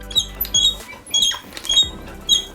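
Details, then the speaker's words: SmoothStar surfskate board flexing: sharp high-pitched chirps in short bursts, no motor; dry thruster squeak, before sewing machine oil is applied to the small thruster bearings around the washer. "so i'm going to place some sewing machine oil on the outside of the small thruster bearings to see if that removes the squeak"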